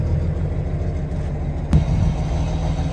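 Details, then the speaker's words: Dump truck with 40-year-old cracked air brake chamber hoses just replaced with new ones, idling while air tanks fill: even idle, one brief clunk, no hiss of leaking air; air brake system charging normally. "We can hear the air tanks filling up, and I do not hear any leaking air."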